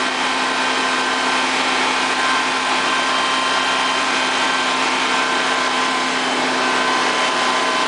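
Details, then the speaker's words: Honda EV6010 generator test run after a no-start repair: even, steady buzzing drone with constant pitch, no knocks or misses. Runs smoothly and holds speed. "I want to run it out just to make sure that it starts and runs and everything else."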